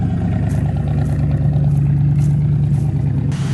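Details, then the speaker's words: LTD that began sputtering and wanting to stall on the road (fuel pump checked, carburetor retuned), after the owner's latest attempted fix: low, even burble at steady idle, about three beats a second, no stumbles or misses; running much better, normal idle. "It's running a lot better than it was."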